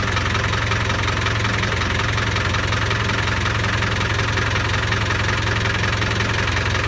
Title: Strange noise